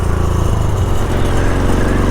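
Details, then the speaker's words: Yamaha XS650 twin after carburetor rebuild, idle possibly needing adjustment; lumpy twin-cylinder idle with buzzy metallic chatter on each pulse from a loose plate rattling. "You can hear this plate chattering. If anyone knows if I can remove all of this and get a new one or something, otherwise I'm going to have to glue that down."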